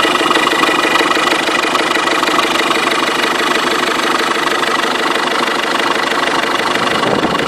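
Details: 2005 Ford Fiesta 1.6 TDCi diesel: sharp, fairly regular knock about three per second at idle, speeding up with acceleration, started suddenly; source unknown. Engine knocking at idle.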